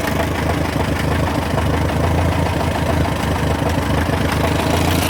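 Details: Massey Ferguson TO35 tractor engine after rebuild: low, chugging idle with a faint, steady tick on each beat; cause of the ticking/knocking unknown.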